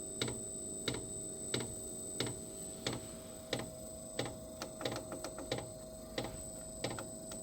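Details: Diesel heater cold start on a LiFePO4 battery with smart charger, glow plug warming, cold diesel: sharp even ticks about every two-thirds of a second over faint hum; fuel dosing pump metering normally during startup.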